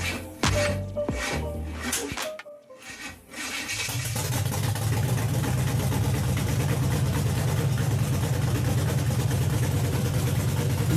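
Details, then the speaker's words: 1962 Chevy pickup with a 350 small-block V8, first start after install with a new motor mount. Cranks a few times, fires and settles into a deep, even, smooth, strong rumble, with music over it. Normal idle. "hearing his motive for the first time this sounds so sweet to my ears you guys just do not know"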